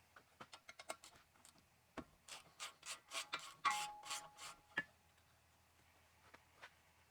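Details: Chevy Impala rear wheel bearing turned by hand during brake job, gritty rasping bursts, the rough grind of a worn wheel bearing.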